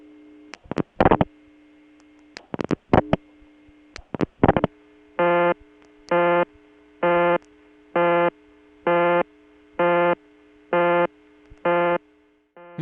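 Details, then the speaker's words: Kent CT, August 1980: even on-off busy tone from the Sharon ringing machine, about one beep per second at steady pitch, no dragging; ringing machine in good shape, correct speed. "the busy signal indicates that this Sharon ringing machine is in really good shape it doesn't have any speed problems as many of them did"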